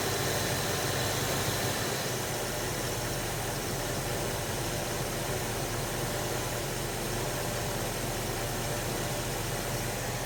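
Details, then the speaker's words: 1980 Dodge W200 with 5.9L Magnum V8 and Holley 600 cfm carburetor, after timing set, idle turned down to about 900 rpm, still warming, thermostat not open: steady even idle with no misses or knocks under hiss; normal idle. "the idle's a little high crink the idle down just a here where we at we're at 900 man it sounds good"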